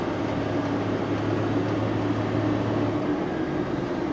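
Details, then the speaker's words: JCB Fastrac 3170 tractor after repair of an intermittent squeal like a belt squealing on and off, heard with power on and off: steady, even drone while driving with no squeal or chirp; fault appears cured. "that's good it's good it seems to have cured it"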